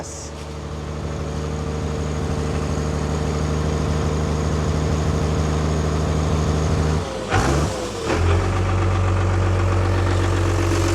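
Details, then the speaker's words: Newly bought Dodge Cummins six-cylinder diesel pickup, started while cranking with the accelerator held slightly open after checking all six injectors spray: low, even clatter settling into a steady idle with a brief dip and recovery; sounds really good. "sounds like a cumins sounds good sounds like a cumins no that sounds really good"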